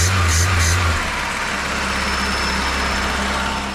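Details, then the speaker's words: VW Golf II carburetted engine after a full carburettor restoration: brief rev settling into a steady, even note; smoking slightly white, with the exhaust manifold leaking, but now starting instantly and running well. "fume un peu blanc mais ça va tour super bien je trouve"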